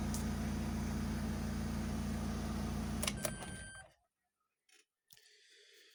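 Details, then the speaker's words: Opel Combo 1.7 diesel, previously crank no start with code P0251, after fuel system fix and engine control unit resoldering: even steady clatter about three and a half beats per second, clean shutoff; normal running. "Ну, але машина заводиться чітко."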